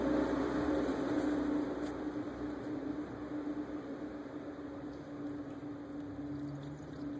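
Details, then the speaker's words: 1998 Chevrolet Lumina 3.8L 3800 V6 after water pump replacement, filling coolant with the bleed screw open. Soft hissing and wet sputtering over a faint hum as trapped air and coolant spit out; keep adding coolant until it comes out, then close. "there was some little bit of coolant spitting out of there and some air you can hear the sound of air but uh just keep add coolant till you hear air rushing out and you see some sputtering of coolant"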